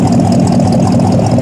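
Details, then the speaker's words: Stock 302 V8 (dyno'd about 253–258 hp, 308 ft-lb), fresh swap replacing a tired 351 in a patina '64 Ford stepside, recorded at the tailpipe: deep, steady burble, even firing, no misses or ticks; temp 160, oil pressure 50 psi, charging fully; normal idle. "This gentleman is good to go. Temperature sits at 160. Oil pressure 50 lb volts fully charging. Sounds good when you sure you can hear that or not, but sounds pretty good."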